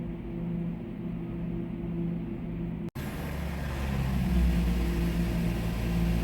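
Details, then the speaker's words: Renault Samsung QM5 2.5 gasoline after engine oil change to synthetic API SP oil, idling after brief warm-up: steady low even hum with no stumbles; smooth idle, no misfire. "시동 걸어 잠시 워밍업후 엔진 오일 체크해볼게요 엔진 부조는 없습니다"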